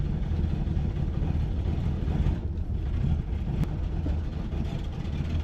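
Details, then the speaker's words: 1973 Ford Maverick, freshly fixed brakes, on a test drive pulling uphill: a deep, heavy drone that labors without picking up revs, clearly straining and down on power. Engine lacking power under load. "Oh, this this car runs like crap. But the brakes feel great. All right, we got to turn this thing around because it is not happy right now."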